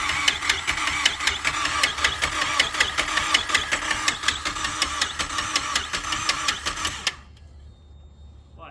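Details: Mazdaspeed 3 with newer engine, first start attempt: even starter cranking for about seven seconds, never fires or catches; ignition ground not connected.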